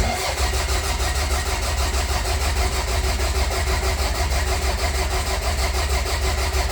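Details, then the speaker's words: Toyota Celica GT-Four ST185 with 5SGTE Beams engine, cranking with no start intended to build oil pressure, after tightening a loose battery terminal that caused slow cranking: the starter now spins briskly with even compression pulses, and oil pressure is healthy. "the motor was cranking over pretty slow so I checked the battery terminal and it was a bit loose I tightened it up so now it should crank over a bit faster"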